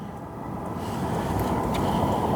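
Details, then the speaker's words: Outequip diesel heater on lowest setting 1, the most fuel-saving mode, putting out 130-degree air: soft, steady roar with an even low hum, no knocking or sputtering. Unusually quiet, which turned out to be due to its muffler. "that's on setting 1. And this mode conserves the most amount of fuel. So I have no idea why this is so quiet."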